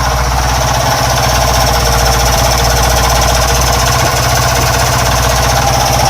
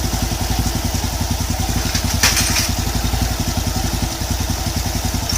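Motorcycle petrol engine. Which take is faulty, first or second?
first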